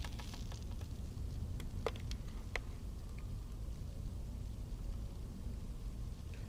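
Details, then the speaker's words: Grundig Majestic 3035 valve radio: heavy low hum with sharp irregular snaps and crackles, still shorted when disconnected and smelling; internal arcing suspected in the power transformer, thought to have failed. "Uh I think I'm sorry to report that our power transformer's failed. Uh I can hear it arcing inside. And I got it all disconnected, and it's still shorted, and it smells, too."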